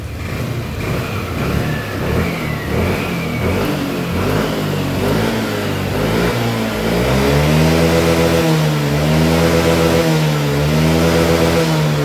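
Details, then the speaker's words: Yamaha Lexi 125 scooter after fixing the injector fault behind held-back top revs: engine climbs cleanly from idle to high revs at full throttle and drops back smoothly, no hesitation or bogging; running properly. "Nah sekarang dia sudah tidak nahan ya untuk gasnya sudah lepas semuanya jadi tidak ada nahan-nahan untuk gasnya"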